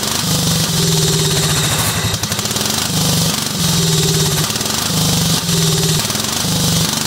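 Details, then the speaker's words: Cub Cadet 2130 lawn tractor, choke not working: uneven surging idle, note dropping out and catching again; spark and compression good, fuel supply and fuel delivery faults, water and rust in fuel system. "it needs more work than a little tap tap on the fuel bowl we've got some major stuff going on we've got a fuel supply issue and we've got a fuel delivery issue"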